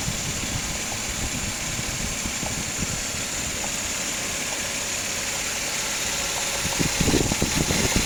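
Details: 2004 Suzuki Grand Vitara XL7 2.7 V6 at idle, full timing belt set replaced 3,000 km ago: fast, uneven woodpecker-like tapping rides over the idle. Engine knocking, cause unknown.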